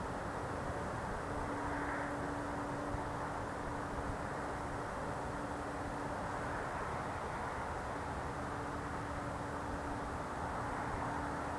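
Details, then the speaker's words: Unidentified loud night-time idling noise heard through a window on a freezing night, not a generator: a constant low droning hum with a faint steady whistle, unchanging throughout; source unknown. "strangest thing. It's like a hum."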